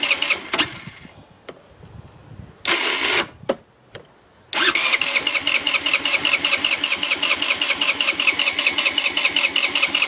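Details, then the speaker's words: 50cc scooter with 500 miles; new spark plug, coil, fuel filter, CDI, battery and a known-good carb: short starter bursts, then ten seconds of steady cranking at about 2.5 turns per second that never catches. "minute won't start even with starting fluid it won't start I guess I don't know"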